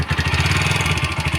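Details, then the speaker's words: TVS Apache RTR 160 4V, not very old, with pickup problem: engine runs with quick steady light tapping over the beat, pointing to loose tappet clearance before adjustment. "Engine में बहुत ही खराब आवाज निकल रही है आपको सुनाने वाला हूं मैं"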